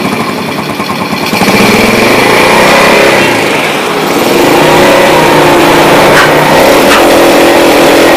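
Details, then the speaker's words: Yamaha Jupiter Z motorcycle, sealer-glued carburetor previously rebuilt, new spark plug, normal idle; at mid rpm revs stutter and break up with uneven exhaust pops, worse at full throttle, won't rev out. "Oke, di RPM ini di tengah ya. Ini mulai ada berbetnya. Bisa dilihat ini knalpot nembak-nembak."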